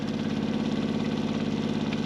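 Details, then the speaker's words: Caravan water pump, before quietening: steady buzzing hum with fast even pulse as water pumps through; the pump box acts as a vibration box, with much noise coming from tight pipework, and pulling it out helps. "but again I wouldn't say it's overly loud but I'm guessing it can be improved which is the the thing that we're looking to achieve today but I would say a lot of the noise is coming from over here and here"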